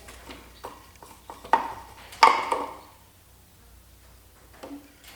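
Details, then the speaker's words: Chevy small-block V8 from a C10 during teardown: the removed oil pump, shaken, gives loose irregular clicks and knocks as hard rock-like bits rattle inside despite fresh oil; debris trapped in the oil pump. "Hear that rattling in there? I'll show you. Decent looking oil because I changed the oil the first thing I did when I got it. But this looks like rocks."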